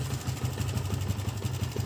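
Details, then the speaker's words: Yamaha Vixion new model, rough idle after recent engine block replacement: busy clattery tick over each beat; mechanic suspects loose cam chain, tensioner converted from automatic to manual. "sangat kasar kalian [Musik] bisaar ini dugaan saya ada pada sentrik ya atau keteng biasa orang bilang"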